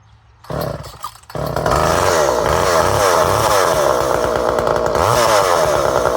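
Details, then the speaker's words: Poulan 1800 Wood Shark two-stroke chainsaw with strong compression, running at half choke: a steady high-pitched snarl with slight hunting as the carb mixture screw is turned in; it runs and holds speed. "So we had it running. So we'll know she'll run."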